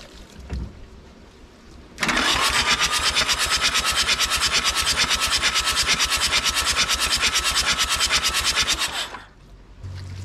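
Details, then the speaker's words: Nissan (Hanix) N300 mini excavator diesel with water in the engine, glow plugs removed: about seven seconds of fast, even starter cranking with a hissy puff each turn and no firing; engine turns freely, water apparently squirting out of the glow plug holes. "sounded good sounded like something was happening and uh yeah it's all wet up there so i guess water did squirt out"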